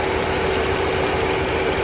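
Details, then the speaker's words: Tata Zest petrol idling steady and smooth with the AC on, no stumbles, after diagnosing a cylinder 4 misfire (P0304) by checking injector wiring and spark plugs; the fault codes had become historic and the spark plugs were not at fault. "Engine की condition देखिए बिल्कुल stable engine है इसको ये देख AC on है"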